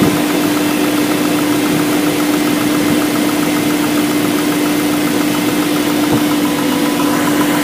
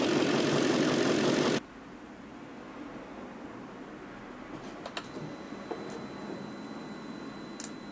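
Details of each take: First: BMW M62B44TU V8 with stock exhaust: steady idle with a fine metallic chatter riding over it, suggesting a worn tensioner letting the timing chain slap; timing chain rattle. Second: BMW M62B44TU V8 with stock exhaust, after replacing the chain tensioner with an aftermarket INA part: short burst of revving, then a quiet, smooth, even idle with no chain rattle or slap; normal idle.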